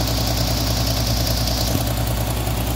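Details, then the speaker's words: 1979 Opel Monza series 1 barn find, restarted after sitting a couple of days: low, lumpy, uneven idle with stumbles and slow throttle response, misfiring badly; oil burning on exhaust manifold. "it's misfiring badly so something's causing to misfire which we're gonna have to try gets a bottom of it Rock throttle response is slow"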